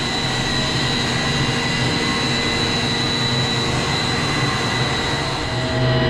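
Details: Commercial HVAC centrifugal condenser water pump, BMS-controlled in auto mode, starting after strainer cleaning: steady, even hum with a drive whine that ramps up then settles back to 37 Hz, no rattle or grinding; normal start-up.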